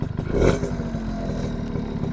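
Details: Suzuki RC100 two-stroke motorcycle, throttle blip then idle: crisp crackle rising briefly then settling to even, steady idle, engine still runs well; normal revving.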